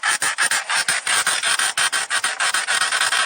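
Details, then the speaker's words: Car interior while driving, about 23,000 km on it: rapid dry creaking, about five per second, repeating steadily over a quiet cabin. The owner blames poor build quality; the trim or panel source is unknown. "Їду я щось і рипить мені. Рипить, рипить, рипить, рипить. Думаю, що ж то рипить?"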